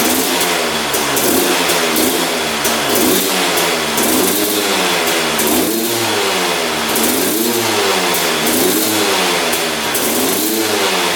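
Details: 2001 Honda CR250 two-stroke, just restarted on the choke; it blips in and out of revs about every second with sluggish pickup and heavy smoke; rough running, owner suspects it is running rich.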